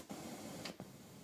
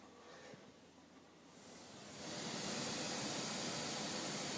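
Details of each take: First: Blank cassette recording with Dolby C noise reduction engaged: very faint, soft hiss with a couple of small clicks, much less than the hiss without Dolby. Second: I hope you can hear that. That's the hissing.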